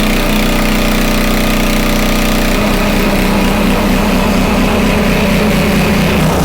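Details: Homelite 2500 W flathead generator after repair of a stuck valve: loud, steady single-cylinder drone at constant speed, pitch settling then holding even; governor holds about 60 Hz (59.9) after a slight adjustment, with voltage slightly high. Normal running.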